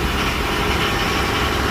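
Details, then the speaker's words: 1984 Nissan Patrol SD33 non-turbo diesel, 24-volt, five-speed, cold start after sitting for months: steady even diesel clatter at idle with no misses or knocks, quite smoky; normal diesel idle. "Dirty diesel, I think they call it. But it runs."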